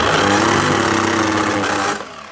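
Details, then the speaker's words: Festool KS120EB 10-inch miter saw, losing power and smelling, before repair: rough, buzzy motor hum with a strained, uneven tone that dies off when switched off; burnt-out motor, to be fixed with a retrofit motor kit and new brushes. "Yeah, that's a motor. So, gonna need to put a new motor onto this one."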